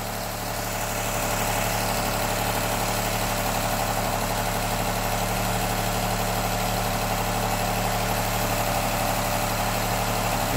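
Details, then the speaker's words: 2008-2015 Honda Accord V6 after broken timing belt and bent valves, hot idle: faint uneven stumble in the low hum, a slight misfire; owner suspects possible limp mode or a failed coil, cause unknown. "got a slight Miss to it so it's got to burn all that uh oil"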